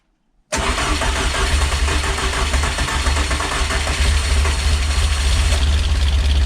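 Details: Peugeot 205 GTi Mi16 rebuilt engine, first fire-up on fly lead after priming oil pressure: catches into a rough idle with loud fast ticking on top; owner hopes the tappet noise clears with running, cause unconfirmed; valvetrain ticking.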